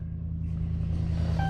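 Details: 2009 Ram 1500 Hemi V8 at 182,507 miles, first cold start of the day, intake duct bag fitted for IAT sensor; deep, steady, even low rumble with no ticks or stumbles; normal cold idle.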